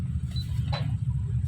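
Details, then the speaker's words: Miyako electric fan after repair of a motor that got hot and stopped soon after starting: fuse connection redone and oil dripped in. When plugged in it spins up immediately with a steady low hum, no rattles or scraping. The on/off switch is faulty, so it stops only by unplugging. "Kita colokin lagi, kita hidupin. Nah langsung muter."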